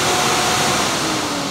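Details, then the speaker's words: BMW E30 auxiliary electric cooling fan jumpered directly to high speed, bypassing suspected bad temperature switch; car-side wiring confirmed good: steady even rushing whoosh, no rattle or scraping; normal high-speed running. "So what I'll do is, I'll just connect it to the high speed."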